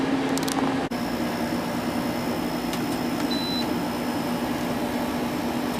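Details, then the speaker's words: 5-year-old LG dehumidifier, after replacing humidity sensor to fix 67 CH error code, running over an hour, back cover off, collecting water: even whir of fan and compressor at one steady tone, no rattles or cycling; normal running. "Okay, it's been over an hour and it's still running, so I think we fixed it. Here's the bucket, and it's collecting water."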